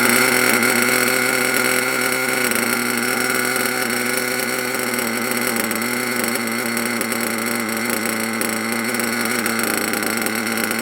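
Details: HPI Savage SS nitro engine, first run after years in a shed, warming up: steady high-pitched buzz with slight warble, keeps running on its own and sounds healthy.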